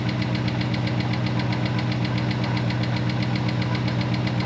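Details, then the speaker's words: Dodge Ram Hemi V8 on its first start after sitting parked for 2 years, coolant temp sensor not working: sharp, even ticking about four times a second over a steady idle. Owner calls it the familiar Hemi tick and hopes it goes away; cause unknown. "ooh hemi tick baby let's see if that goes away ticket ticket ticket ticket ticket ticket ticket anybody who has a hammy recognizes that noise right away"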